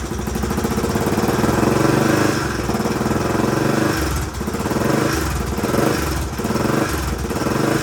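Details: 1981 Honda XL500S single, first start after oil change, air filter install and makeshift fuel tank, started stone cold: even, steady thumping idle with no misses or knocks; runs well, possible leak heard, carburetor not leaking.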